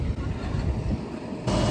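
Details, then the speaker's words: Kuhn topper driven by a Fendt 718 tractor, after greasing and rotor rebalancing; it chattered before from imbalance. Steady low even drone with hardly any vibration or chatter: normal running, rotor balanced. "There's hardly an ounce of vibration off that now. Ideal. Lovely jubbly, that's good to go."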